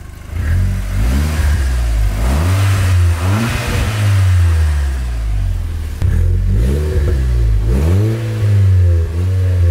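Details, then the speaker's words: Audi S3 8P TFSI after repair (oil pickup pipe cleared, fresh oil), warm after about 25 minutes running: revs blip up and settle smoothly several times, even and free of knocks or rattles; healthy, smooth-running. "so as you saw their pickup pipes all done cars running fine sounds very smooth in the video"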